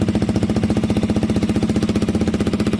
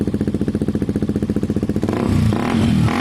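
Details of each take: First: KTM 125 motorcycle fitted with a Black Widow aftermarket exhaust, idling: quick even popping beat with a sharp puffy chuff each pulse, exhaust blowing at a joint not yet clamped or fully tightened, rubber still needed. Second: KTM 125 motorcycle with a newly fitted Black Widow aftermarket exhaust: even idle pulses and clean revs rising and falling with no puffing or ticking; the pipe is sealed with no gaps and runs healthy.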